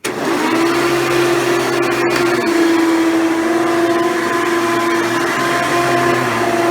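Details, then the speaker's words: Hoover Elite Dimension upright vacuum: steady loud motor roar with a high whine near 300 Hz, louder than usual; a shattered or cracking fan impeller possibly needing replacement. "for those of you who have a Hoover Elite machine such as this dimension right here where can you come to where you have a moment where the vacuum sounds like it's running a little bit louder than it usually is"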